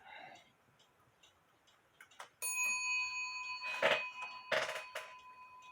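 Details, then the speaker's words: Shelf clock bell after bending hammer wire away from the wooden case it was touching: a few clean, ringing strikes that sustain and fade with no buzz or dull thud; hammer now strikes freely, normal. "I bent it away from the Bell doesn't that sound a lot better let's let you hear it"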